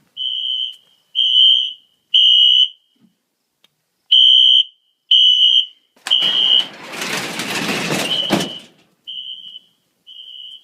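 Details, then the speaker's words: Smoke detector on the fire alarm panel set off: loud high-pitched horn pulses about once a second with a noisy burst midway; system in full alarm. "i'm gonna set the alarm off now do a little bit of this there we go"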